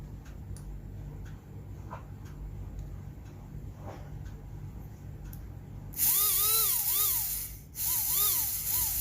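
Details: Plain Tamiya DC motor bench-tested before harvesting its brushes for an RC winch servo motor with burnt brushes: quiet at first, then a high motor whine rises and falls in pitch as it spins up; runs freely, normal.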